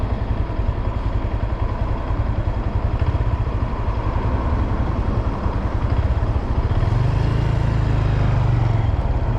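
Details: 2022 Honda Grom under 3 months old, after 10–30 minutes riding from 90 km/h+ full throttle in 4th/5th, coasting with clutch in below 50 km/h: uneven low clatter about two a second from the transmission; downshifting mushy, owner suspects mechanical failure.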